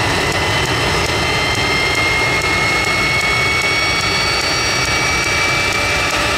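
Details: Jet truck turbine, first start after winter, fuel pump worked on and clogged fuel filter cleaned: steady high jet roar, clean whistle slowly climbing in pitch, even; runs better than ever, normal turbine run.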